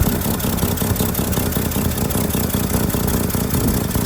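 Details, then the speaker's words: 1959 Chevrolet Suburban Carryall with the 235 Thriftmaster straight-six and a 4-speed, odometer 38,371: steady, even low idle with no knocks, and a slight exhaust leak, possibly from the flapper. It revs up nicely; healthy normal idle. "Um, but it does it does rev up nice and it it drives really nice."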